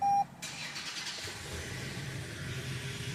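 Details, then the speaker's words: Toyota RAV4 hybrid put into maintenance mode so the petrol engine keeps idling instead of shutting off: short chime, then engine catches smoothly and holds a quiet, even idle with no stumbling; normal engine start. "it will be idling without turning off. Because without this, your car will turn on and then it'll turn off in a little bit because it's a hybrid."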